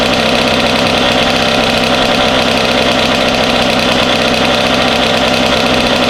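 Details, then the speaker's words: Freshly rebuilt Kawasaki KX85 two-stroke on its first start and break-in, running 32:1 premix with some smoke. A crisp, fast, even burble at idle with no rattle or knock: normal, healthy idle. "I do have some smoke. Oh, do you? Oh. Got a lot of gas. Sounds good."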